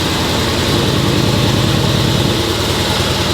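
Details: Mercedes GLE 63S V8 started for the first time in over two months during a Brabus-style body-kit build: deep, steady burble with even firing and no knocks or misses; a healthy idle.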